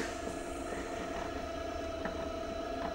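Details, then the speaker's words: Vevor 450 W 36 cm pottery wheel centering six pounds of clay: faint, steady mid-pitched motor whine over a soft hum, slowing slightly under load but coping; not the quietest, ordinary motor noise, nothing wrong. "it's not bad as far as noise levels so it's definitely slowing down a little bit as I'm centering six pounds of clay but it's getting the job done"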